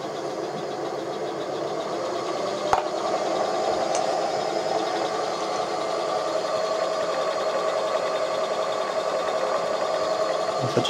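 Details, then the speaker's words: Hobby 818 lathe refurbished with 24V 400W 2600 rpm Currie DC motor, speed set by pot: steady mid-pitched hum with a faint whine from the spinning shaft, motor barely audible, normal shaft running noise. "I don't know if you can hear that, but it's actually quite quiet. You don't really hear much of the motor at all. Well, the noise that you are hearing is basically the the shaft inside"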